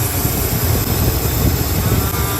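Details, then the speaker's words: Classic Chevy C10 truck at the roadside after fuel pump relay failure, wiring cleaned up: low, even rumble with steady idle beat, nothing odd; running, holding fuel pressure, no fuel leak. "It's running. Let me see. It's holding pressure. No fuel leak."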